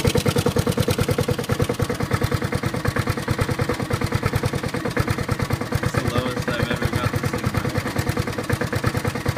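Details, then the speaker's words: Honda HRT216 mower cold-started after sitting outside without fuel since February, then refueled, with the idle turned all the way down. A low, quick, even putter with no misses holds a steady slow idle; the smoothest the owner has ever seen it run. "wow I have the idle on the ID on down the nothing"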